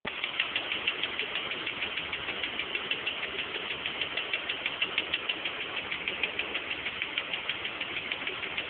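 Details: 1989 BMW E34 with M20B20 petrol engine idling cold: a loud, sharp, steady ticking of about three ticks a second at cold start.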